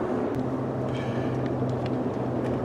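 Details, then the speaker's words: 2014 Ford F150 4x4 at 62,000 miles, driving at highway speed after a front and rear brake job: a steady low droning hum that follows vehicle speed, not engine speed. Diagnosed as a worn front left wheel bearing, which could be mistaken for tire noise. "Yeah, I'm definitely calling that a wheel bearing. It sounds like a front left wheel bearing. It's kind of a droning noise that just kind of carries on with vehicle speed, not engine speed."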